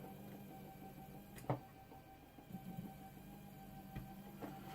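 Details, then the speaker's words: Nema 17 stepper motors on a RAMPS 1.4 board during a wiring and voltage-setting dry run: quiet steady hum, pause and restart as direction reverses, no grinding or skipped steps; motors functional. "you can see that the motors are functional"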